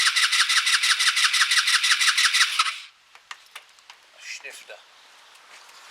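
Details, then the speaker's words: Kymco Agility 125 scooter, first start attempt after fitting the wheel and exhaust, spark confirmed healthy: the starter whirs in pulses and the engine fires briefly, then dies. The owner concludes the problem is fuel-related. "okay that fired so we know it's fuel related"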